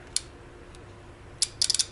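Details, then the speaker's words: Homemade 4s15p 18650 lithium battery pack for golf cart: relay ticks once then chatters in a quick burst of four or five clicks, switching on and off; relay chattering. "can hear it clicking on and off that's not good"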